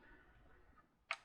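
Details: Mr. Christmas Gold Label World's Fair Swinging Carousel during repair, swing module removed: micro switch gives a single crisp, bright click against quiet background, actuating cleanly with no buzz or chatter, as it should.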